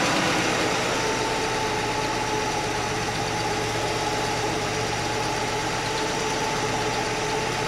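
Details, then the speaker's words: Straight-six Chevy Nova idling after adjusting the one crooked rocker arm: steady even idle, faint light patter, no clank left, valvetrain quiet and smooth. Normal idle. "All right, guys, good news. It's not clanky anymore. It was just the one rocker."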